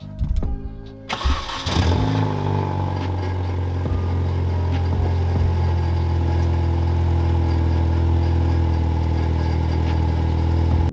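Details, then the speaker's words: Mini R50 with the exhaust pipe disconnected from the rear back box, before a replacement exhaust is fitted. It cranks, catches, then idles with a loud, deep, blatting drone; exhaust leak. "So yeah, the pipe's disconnected from the back box, so we've ordered a new exhaust system."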